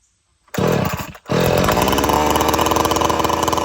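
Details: Old-school chainsaw, the trigger blipped to drop it from fast idle; it settles into an even, buzzy idle with a steady beat, running cleanly.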